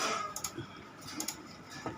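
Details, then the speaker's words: V-Guard VND 400 AC voltage stabilizer on power-up: sharp relay clicks in quick pairs over faint hiss, chattering continuing even when input drops about 200 V; unit has three relays, fault to be traced. "यह देखिए खटखट की आवाज आ रही है और जैसे ही यह देखिए अगर 200 वोल्ट भी कम होता है उस स्थिति में य बराबर आवाज बलिंग खटखट की आवाज आ रही है"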